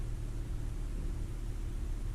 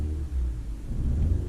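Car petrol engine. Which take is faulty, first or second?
second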